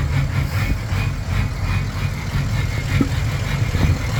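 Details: Ford 6.0 Powerstroke diesel with rough idle and smoke: low idle that stumbles and surges unevenly, never smoothing out; cause not clear.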